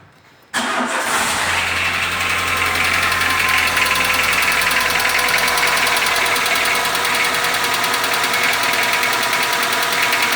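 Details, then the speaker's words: Renault Sandero 1.6 8v K7M petrol at 128,000 km, just started: a loud, fast, steady metallic knock over the idle. Attributed to worn connecting rod bushings, though pinking is also mentioned. "E aí naturalmente nesses motores aqui pessoal é desgasta essas blusas da biela e fica com esse barulho aqui"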